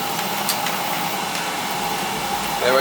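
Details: Old leaking boiler after pre-purge, with bad control replaced: steady, even burner roar then rising as flame catches; clean, normal burner ignition.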